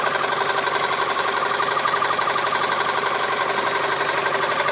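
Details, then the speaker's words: 2003 US-market Mazda 6 2.3 L: a fast ticking knock, about three per second, that grows with throttle, like a bicycle ratchet. The sump was removed with bearings clean and the chain tight. Source unknown. "стук не похожи ни на вкладыше не на цепь не понятно что это за стук такой трещотка на велосипеде"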